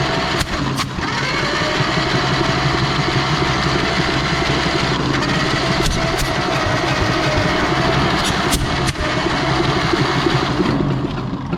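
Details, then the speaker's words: Barn-find 1930/31 Ford Model A coupe, unused since 1964: the starter spins it fast and uneven without firing. Compression is nil or minimal on cylinders one and three, and a valve is stuck open; the intake is seen not moving. "looks like we got nothing on one and three or minimal at best so which valve is stuck open"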